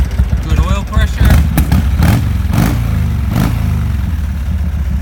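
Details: 1987 Harley-Davidson FXRP (EK, ex-CHP) with Andrews EV27 cam, 15K miles on rebuild: cold start and idle on choke, deep and lumpy with a steady low thump and no knocks or rattles.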